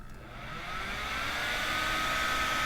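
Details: 12-volt squirrel cage blower fan powered from a PC power supply's yellow 12V wire: the airy whoosh rises over the first second as it spins up, then holds a smooth, steady whir, putting out a lot of air; healthy.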